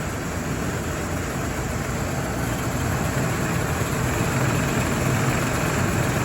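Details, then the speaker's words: 1983 Cadillac Seville, freshly revived and running: steady, even idle with a low rumble and no knocks or misses; engine running well, normal idle. "Okay. That's running well. It's good."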